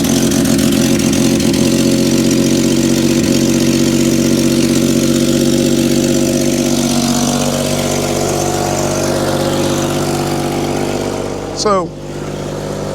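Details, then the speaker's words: Cold vintage Willys Jeep, hardly run recently, idling with a faulty choke (needs a choke cable). It gives an uneven, lumpy idle that stumbles now and then, and it runs well once warm. "my choker over here isn't doing too good but once it gets warms up it runs amazing runs pretty good it's stumbling right now"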